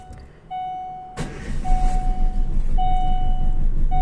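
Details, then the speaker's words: Chevrolet car that failed to start after sitting overnight, got turning by rocking it in fifth gear, and had a prior hydrolock seizure: after chimes the engine catches into an uneven, lumpy, irregularly pulsing rumble and blows air into the coolant; owner suspects a blown head gasket. "it doesn't work and it makes it sound and it's blowing air in the water"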